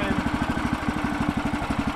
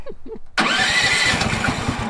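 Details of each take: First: Woodland Mills sawmill single-cylinder engine, just started on choke with its key start, thumps about ten beats a second, uneven and sagging; fuel starvation because the fuel valve was off. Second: Woodland Mills sawmill single-cylinder engine, restarted after the fuel valve was turned on: catches after a brief start, then settles into a steady, even single-cylinder beat with no misses; healthy.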